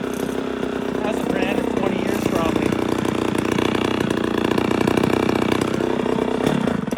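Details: 1972 or 1973 Pioneer 1200A two-stroke chainsaw, unrun for decades, after carburettor rebuild, new fuel lines and filter, original plug, oil down the plug hole: raspy, fast buzz catches and runs steadily with slight speed wobble; firing and running properly.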